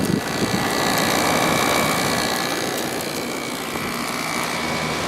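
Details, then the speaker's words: 2003 GE 12,400 BTU window air conditioner built by Samsung, after cleaning, temperature set fully down: even steady compressor hum with fan air rush, no knock or rattle, cooling; compressor running normally. "Alright, let's see if we can get the compressor to start. I already feel it getting cold, so that's a good sign. It seems to run nice and smooth."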